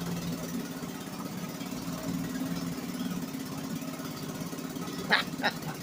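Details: 1963 Gale-made Sea King 3hp single-cylinder outboard after a new water pump rotor; putters at a steady fast idle with even firing and a couple of splashy knocks near the end, pumping water well, running normally.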